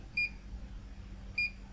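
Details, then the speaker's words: Multimeter fitted with an add-on bleeper circuit, diode test mode on a Schottky diode reading about 0.154 V. Two short high-pitched bleeps about a second apart over a quiet room; expected higher-pitched bleep for a Schottky diode. "And we go to the Schottky diode, there should be a higher pitch."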